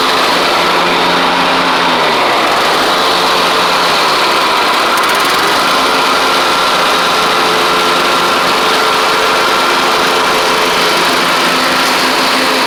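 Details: Troy-Bilt Horse XP on a replacement engine, cutting passes after an overnight sit; it didn't want to start that morning. Steady single-cylinder drone with whirring blades, pitch sagging briefly under load then recovering. Healthy normal running under load.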